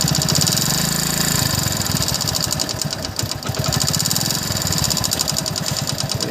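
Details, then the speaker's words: Hero Passion Plus motorcycle engine revved: quick light ticking keeps time with the engine, louder with revs, still slightly present at low speed and under load; cause unconfirmed, piston to be checked. "मेरे को slow करो तो थोड़ा हल्का से आवाज आता है जब लोडिंग पड़ता है जब लोडिंग पड़ता है तभी भी आवाज आता है"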